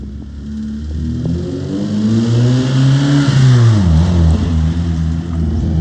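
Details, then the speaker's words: 1997 Hyundai Coupe SFX after fixing a misfire (previously stuttered and wouldn't pull; plugs checked fine) by replacing the coil pack and ignition leads: revs rise and fall smoothly with no stumble or miss. Normal running after repair. "And that was actually one of the cheapest ones, and it has solved our problem. There is no misfire now. It runs absolutely perfectly."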